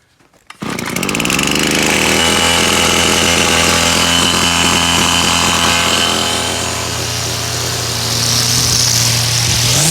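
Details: Brush cutter/trimmer after priming and starting on full choke, then with the choke pushed down: the engine catches and settles into a steady high buzz with no stumbling or surging, running normally.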